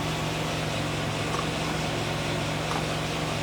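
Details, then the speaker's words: 1995 Pontiac Firebird 3.4L SFI V6 after new coil pack replacing one suspected of ignition miss (plug wires already replaced): even, steady idle, no stumbles or skips, much smoother than before; normal idle. "Seems like it's running a lot smoother than it was. So, what we have to do is test drive it now, but it's uh it does seem smoother."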